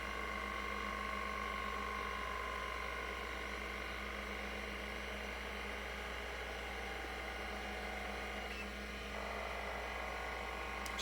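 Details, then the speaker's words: Vintage Seagate 5.25in hard drive set up as an ST238 equivalent (615 cylinders, 4 heads, 26 sectors per track) on reboot: steady spindle hum with faint rapid ticks as the heads micro-step hunting for track zero; the controller retries a few times. "hearing the drive micro stepping looking for its track zero it's trying to find its home position so to speak the controller will try this a few times uh before it gives up so you just have to be patient here sometimes"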